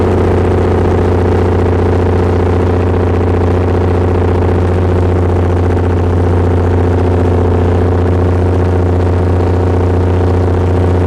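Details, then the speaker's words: Perkins 6.354 inline-six diesel driving a 45 kW Lima generator (Empire gen set), under load: loud steady drone with a faint uneven pulse of three to four beats per second, shuddering with slight blow-by; uneven running, cause unknown. "running correctly it's not the smooth even sound that a diesel should have"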